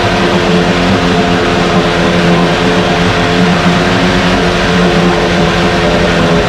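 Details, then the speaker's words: 1968 Evinrude Fastwin outboard in test tank, untouched, Sea Foam mixed in fuel: cold-started, even loud two-stroke drone, steady pitch, no coughing or stumbling, runs better each start; normal running. "every time we start it up and running it runs a little better i do have some uh seat balls mixed in this particular fuel tank and it just keeps cleaning things out"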